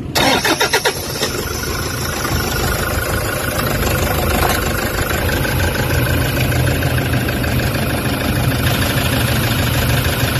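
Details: Toyota Hiace common-rail diesel with vibration, low power and check engine codes P0400/P0406 for EGR malfunction, just started: heavy, lumpy idle with a deep, uneven low throb, attributed to the faulty EGR valve.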